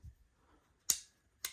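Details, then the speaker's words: Restored coin mech on a 1951 Vendo 39 Coke machine: two crisp, sharp clicks about half a second apart as the levers snap over, locking the gate; the mechanism is working properly. "you should hear that clicking. As you hear that is locking that down."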